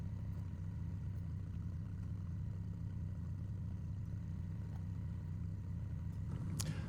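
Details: Honda Shadow VT750 V-twin after carburetor removal and pilot-jet cleaning, with the tank refitted before a test ride: deep, even burble at steady idle with no ticks or misses. Running cleanly, normal idle.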